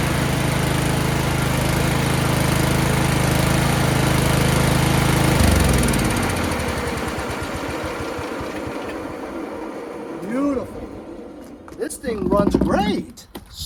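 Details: Yard Machines 38-inch riding mower with 13.5 HP Tecumseh single-cylinder engine, repaired after slow-crank no-start, oil full and clean: steady, even thumping beat, then shuts off and winds down cleanly; runs healthy.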